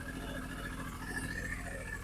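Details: Triumph Speed Triple 955i, 2000 or 2001, newly bought project bike: steady, even idle with smooth low thrum and no knocks or misses; healthy, though owner suspects fuel pump problem from priming sound.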